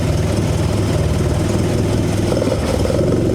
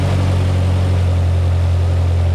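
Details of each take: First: 1972 Toyota Celica 18RG with twin Mikuni 40PHH carbs, rebuilt with new throttle shafts and butterflies: idle now adjusts, but it hangs at a raised idle, sags and wanders, then settles higher. The high-idle/low-idle problem persists after the rebuild. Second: 1972 Toyota Celica 18RG with twin Mikuni 40PHH carbs, rebuilt with new throttle shafts and butterflies, idle just adjusted down: a smooth, even low rumble at a steady 1100 rpm with no hunting or misses. This is a normal idle.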